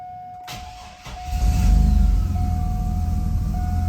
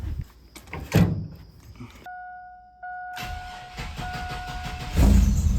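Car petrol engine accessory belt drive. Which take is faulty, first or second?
second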